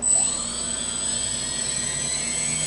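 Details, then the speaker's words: Quadcopter with recalibrated ESCs run through the throttle hub: steady high-pitched whir, all four motors in sync at full, half and quarter throttle without wavering, starting and stopping together; ESCs fine, flight controller suspected. "full throttle they're all running full throttle half throttle they're all running half throttle quarter throttle drive on a quarter throttle"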